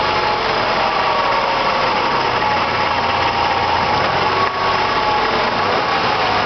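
Steady high-pitched whir with a fine, sewing-machine-like ticking at idle and no deep engine note; source near the gearbox unclear.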